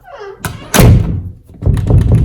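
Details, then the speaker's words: Interior house door after its strike was adjusted with a screwdriver to cure a rattle: one solid, clean thunk as it shuts and latches, with no rattle or slop. Normal door latch. "That is far better than what it was, and you can tell how easy that is."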